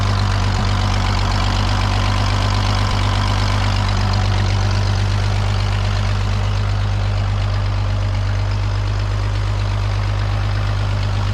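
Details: 1932 Chevy truck "Rockabilly Rat" after a tune-up: deep, even idle with a steady low rumble and no knocks or misses; normal idle.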